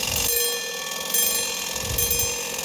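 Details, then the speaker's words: Badische striking alarm clock after repair: rapid continuous alarm ringing that swells and fades roughly every second, siren-like; owner suspects a slightly bent alarm escape wheel pivot, not confirmed. "It sort of goes between loud and soft, so I think that probably means the alarm escape wheel pivot is slightly bent."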